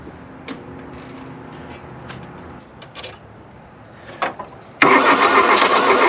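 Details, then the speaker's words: 1979 VW Rabbit Mk1 diesel abandoned in woods 30+ years, glow plugs jumped, 40°F, glow plugs probably burnt out: slow faint cranking for seconds, then one cylinder catches and roars briefly but won't settle; hard-starting, cause suspected. "that was a cylinder kicking off oh it's so close"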